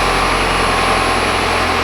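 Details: 2014 Chevy Impala after P0411 secondary air injection repair, key on engine running, pump commanded on: steady whooshing air-pump hum over even idle, no rattles or surging; back pressure settling near 1.7 psi, within 1.9 criteria, repair verified.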